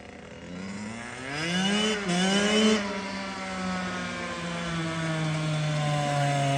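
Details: Kawasaki KX85 two-stroke after water pump and case seal and gasket replacement ended fluid leaks; crisp clean rev rise and fall with an even buzzing pitch tracking the throttle; smooth, strong, healthy running.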